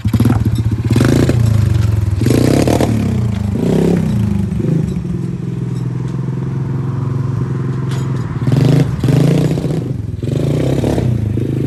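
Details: 110cc four-wheeler (ATV) after repair with new carburetor, new spark plug, wheel alignment, and loose wires and stator tested: the small single revs up and drops back cleanly through several throttle blips, no misfire or knock, with road and chassis clatter; runs well.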